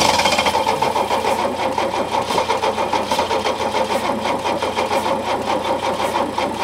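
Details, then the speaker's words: Early-80s Opel Monza barn find, injected 3.0 straight six, fuel poured into the intake: slow cranking with a ragged catch of firing for about half a second, then dies; spark and burnt-fuel smell present, engine fundamentally okay. "is it is uh sparking yeah and it's smelling of burnt fuel as well yeah so yeah it is I mean it was running then for a second wasn't it or half a second Kinda"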